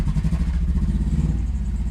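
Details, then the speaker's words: 5th-gen Honda Prelude 2.2 VTi VTEC automatic, running after an ECU swap: deep, lumpy idle with an uneven low beat that keeps stumbling, a misfire with cylinder 1 not firing; cause not confirmed. "There you go, it's running, but we still have our misfire problem. If you can hear that, it's not firing on piston 1."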